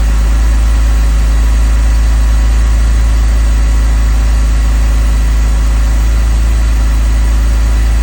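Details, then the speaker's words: 2002 BMW 330Ci cold start idle after sitting a month, heater on low: loud, even low rumble with no ticking; earlier tick likely a collapsed lifter since pumped up; still losing coolant for unknown reason. "well go figure it's not making the noise so it's got to be a collapsed got did a collapsed lifter"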